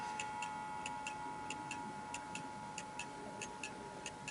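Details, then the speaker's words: Antique Davison Bros London chiming pendulum clock heard up close, ticking with an uneven tick-tock, off center (out of beat) because it sits on an uneven surface; it must be levelled to the clock. "the tick is a little bit off center and the reason why this happens is because all surfaces are uneven and all these old clocks"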